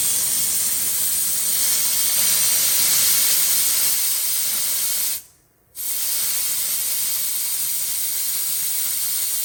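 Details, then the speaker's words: 1960 or 1961 GM 4106 bus without an air dryer: loud steady rush of hissing air from an opened air tank drain, spitting out a big puddle of accumulated water. "yeah he started draining that tank that big puddle of water is coming out of that air tank good yeah"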